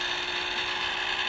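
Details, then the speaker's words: DIY-repaired deer game feeder spinner motor on a timer, running at six volts after reassembly; starts after slight delay, then smooth even high-pitched whir with no rattle; sounds healthy. "just had a bit of a delay on her that sounds healthy well she'll run off at six volts great I don't have to [ __ ] with the solar panels"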